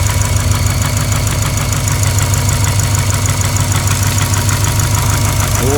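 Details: Built Subaru WRX 2.1 block, EJ257 crank, forged JE pistons, ACL bearings, after winter break-in with first tune: steady idle with loose uneven knock about twice a second; cause unknown, possibly needs teardown.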